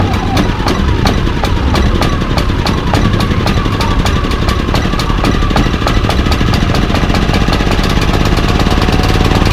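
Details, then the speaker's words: Baliy 3700 W portable generator unused over a year, new spark plug and fresh stabilized gas: fast, loud ticking over rough drone, surging in eco mode and still rough with eco off; varnished carburetor with clogged jet. "so you guys can hear it it's surging on eco mode and even with eco off it's still running a little rough"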